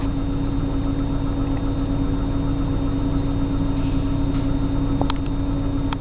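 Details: 1997 328i on a morning cold start, idling rough with a slightly uneven, loping pulse and a faint steady hum; cause not identified.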